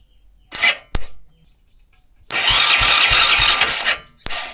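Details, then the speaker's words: Hero Splendor motorcycle whose self-start motor runs by itself without the ignition key. The starter whirs in a sustained high-pitched burst, with clicks before and after, and keeps spinning because the starter relay has failed and is stuck closed. "இந்த கம்ப்ளைன்ட்தான் வந்து அதுல நடந்துருக்கு. So இந்த மாதிரி வந்து நம்மளுக்கு ஆட்டோமேட்டிக்கா வந்து ரன் ஆயிட்டே இருக்கறது வந்து பார்த்தோம் அப்படின்னா இந்த ரிலே வந்து போனதுனாலதான் நம்மளுக்கு வந்து இது வந்து நம்மளுக்கு அந்த கம்ப்ளைன்ட் வந்துருக்கு."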